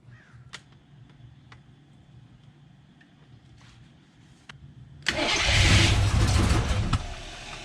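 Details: AMC 360 V8 just rebuilt after a lost cam, with new Summit 8600 cam, lifters, timing set, bearings, Edelbrock carb, HEI distributor, oil primed with ZDDP: quiet, then fires straight into a strong, even rumble at 900 rpm idle, oil pressure 25 versus under 10 before; normal start and idle.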